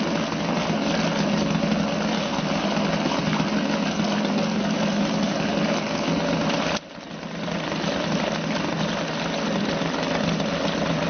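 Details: Suzuki DT 2.2 HP two-stroke outboard in a test tank ticking over with the fuel turned off, burning remaining carburetor mixture; even buzzing idle holding steady pitch, one brief dip then back, idling cleanly.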